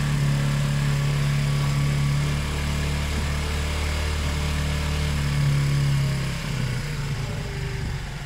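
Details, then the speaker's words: Zontes 125 motorcycle, warmed up with choke off, after its tank full of rust, twigs and water; uneven idle wavering and dipping; owner suspects kinked fuel pipe limiting fuel flow, fuel starvation. "so the choke is off now and it's still a bit stuttering but we have to see what's going on"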